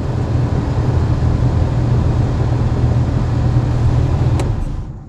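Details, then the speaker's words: Nissan R32 Skyline GTR after the heater climate control was fixed: with all controls working and fan set to maximum, a steady, even rush of air with a low whir and no rattle or squeal; blower fan healthy at full speed. "all the buttons everything works perfectly and well got nothing and then maximum everything"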